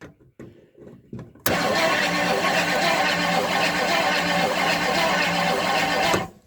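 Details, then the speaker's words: 1958 Edsel after solenoid remount and shorter, better-quality starter cables: after a few clicks the starter spins the engine at a strong, steady, even rhythm with no dragging; normal healthy cranking, not yet started on the key. "all right now that i finally got it where it's cranking good i can get back to uh trying to get it to crank with the key"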